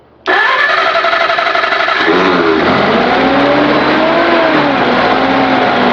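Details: Continental F124 flathead on propane from a fire-damaged 1952 Carloader forklift, first start with crusty old distributor: catches at once, revs briefly, settles to a steady even idle, no knocks, little smoke; normal start and idle.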